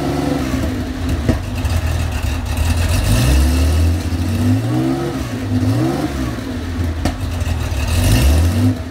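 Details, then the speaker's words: Cold-running 35-year-old Porsche 911 SC wide-body 3.3 flat-six with M&K headers and PMO carbs. Uneven hunting revs with sharp pops and rich-sounding rough running, backfiring while cold. The cause is still being figured out; it purrs once warmed up. "As you can see, she's a little temperamental when she's cold. Sounds like I got some backfiring going on. Smells like it's running a little rich."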